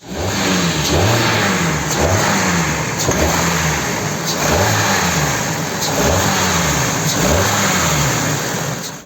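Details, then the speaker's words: KIA K5 engine revved repeatedly: sharp knock appears in one narrow rpm range then fades as rpm rises, unlike rod knock; knock traced to intake cam phaser not locking, camshaft moving freely. "Вот именно в определенном диапазоне она стучит и пропадает"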